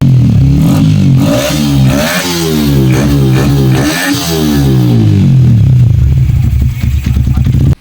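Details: Sniper 155 that would die and not start, after replacing the faulty injector: engine picks up and drops back cleanly through several blips, no stumble or popping; healthy clean-firing single.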